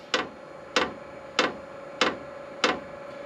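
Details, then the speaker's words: Cheap 27,000 BTU Chinese diesel heater, newly installed, first start: a crisp, steady tick about every 0.6 seconds; the dosing fuel pump pulsing loudly but normally at startup. "oh that's the fuel pump ticking well that is loud"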